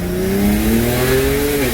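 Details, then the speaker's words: BMW 335i (N54) on pump gas, road test after a big boost leak was fixed: strong, clean rising engine note under hard acceleration before a shift, no hiss or bog; power back, normal turbo boost pull. "Yo, wow. push me back in the seat, boy."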